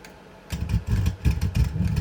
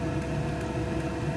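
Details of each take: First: Brand-new Vevor XMZ D2 2 kW Bluetooth diesel heater backfiring on startup in manual mode: rough stuttering rumble, sudden cut-outs, irregular pops, heavy smoke (unburned fuel); cause unknown, owner suspects it needs a full-heat first run. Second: Vevor XMZ D2 2 kW diesel heater after backfiring episodes, now running hot at full heat: even, steady low roar and fan whir with no pops or surges; burning cleanly, seems normalized though not fully trusted yet.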